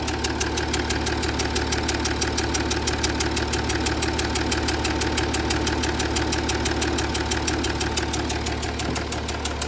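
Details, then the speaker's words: Jaguar XF S 3.0 diesel at idle with smoke in cabin: sharp even ticking about three times a second, changing with revs; compression and fumes puffing from around one injector, leaking injector seal. "If you look in the torch, you can see there's quite a lot of fumes, and it's sort of puffing there, look. Looks like it's coming from around that injector."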